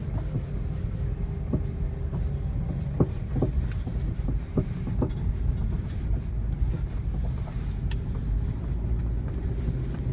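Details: 1999 first-generation Honda CR-V driving: irregular light clicks and rattles from the front end over heavy, low road rumble.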